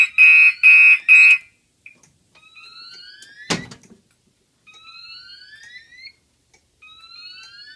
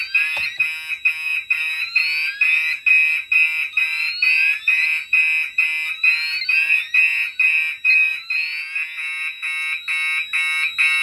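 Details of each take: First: Gentex fire alarm horns on a DMP XR-500 panel system test: three loud, harsh blasts then a pause, temporal-3 evacuation pattern, with code-3 relay clicking from the XR-500 in background. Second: If it lets me set it on, that's going to trip the sxl-ex, and that means it's not set correctly, so let's go ahead and try. Yeah, that's not right. Alright, so that tripped the SXL.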